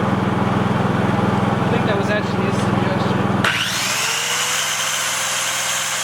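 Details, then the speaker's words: Dad's Honda 3000 generator after service, which reportedly used to bog down and die under heavy load, powering a skill saw: holds a steady, even drone while cutting with no sag or stalling, then settles smoothly when the load drops off. "so tomorrow i'm gonna do a real test and have it running while hooking up a 1500 watt heater but i really do think that this thing seems to be running really nice"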